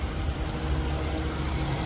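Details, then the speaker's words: 2014 Mazda2 1.5 Sport with the air conditioning on: starts easily and settles into a smooth, even, quiet idle with no knocks or misses, only the fan rush audible; healthy. "ครับสตาร์ทง่ายเสียงเงียบนะครับแอร์เย็นเจี๊ยบเครื่องเงียบ"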